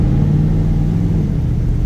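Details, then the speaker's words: 1994 Dodge Dakota V8 converted to rear-wheel drive, on a shakedown drive after a new oil pump, pickup tube and Wix filter. It gives a deep, steady rumble and pulls smoothly, and the earlier loud top-end tick is gone. An injector 8 problem is suspected. "Oh yeah, baby. Gosh, you run so good."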